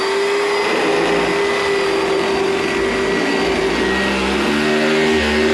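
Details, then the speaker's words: 2004 Oreck Hypo-Allergenic Plus XL2 upright vacuum, unused for a long time, motor also noisy: loud motor roar with a harsh, rough jackhammer-like hammering rattle; the brush roll bearing has failed. "Oh boy. Brush roll bearing is gone. Wow."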